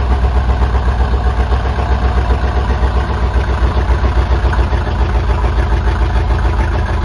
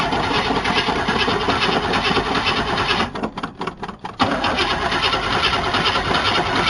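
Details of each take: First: 1977 Chevy C10 Custom Deluxe V8 after sitting for years, recorded at the engine bay: loud, open, lumpy rumble with an even, steady beat, firing up surprisingly easily; normal healthy idle. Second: 1977 Chevy C10 Custom Deluxe V8 truck, sat on ramps for years, exhaust not hooked up: harsh raw bark and crackle at idle with a couple of throttle dips, far too loud from open exhaust.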